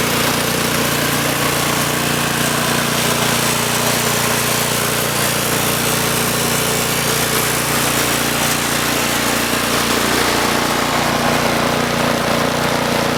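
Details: Troy-Bilt Storm 2840 28-inch snowblower, model 31AH64Q4711, 9.5 HP single-cylinder engine, pull-started: steady, even drone with no misses, knocks or surges. Runs healthy.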